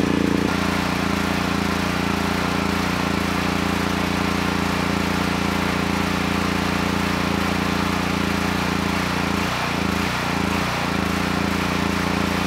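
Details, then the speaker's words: Honeywell HW5500 5500 W generator, 337cc engine, original carburetor, air box cover off, choke plate detached from its wire. A steady drone hunts and dips briefly near the end; vacuum leak at the warped carburetor insulator. "that's why i took the air box cover off and the thing that really is odd is when i choke the engine it starts running"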